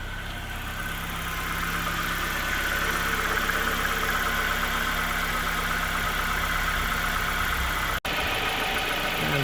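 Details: 2004 Nissan Pulsar N16 QG18DE, 120,000 km, after replacing the head gasket that was burnt between cylinders 1 and 2: steady, even idle hum with a smooth low drone and no knocks or stumbles. This is how smooth it should be.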